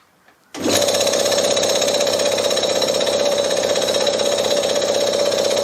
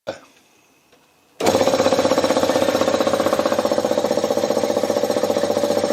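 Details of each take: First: Briggs & Stratton lawnmower engine converted to an air compressor, belt-driven, first run unloaded with both sides open: starts abruptly, then an even, fast rattle and steady mid tone, no knocks or surging; compressor runs. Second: Converted Briggs & Stratton compressor pump driven by a larger replacement motor (previously half horsepower): fast, even pumping chug about four beats a second, straining as pressure rises to nearly 50 psi (three bar), nearly stalling at the end.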